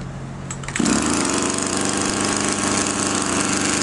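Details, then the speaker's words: Champion string trimmer, small two-stroke, starting and running with a loose, burbling, uneven buzz as the carburetor floods (too rich). The fuel-adjustment screw is then screwed in and it runs normally; the screw likely loosened from vibration. "Судя по всему Он очень сильно заливает сейчас мы будем этот вин закручивать"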